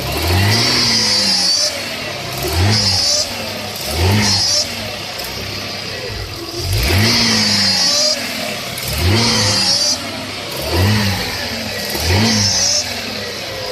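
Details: 1996 Audi A6: a recent noise when accelerating or revving. Repeated throttle blips each bring a hissy, whistling rush that rises with the rev and fades as it drops; cause unknown.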